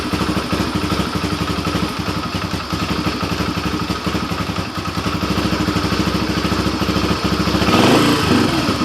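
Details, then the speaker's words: 2007 Yamaha TTR125 after carburetor cleaning and new fuel hose (was hard starting); single cylinder settles into a steady, even thump near three beats a second with no misses — clean, normal idle after repair. "there we go she's good to go now"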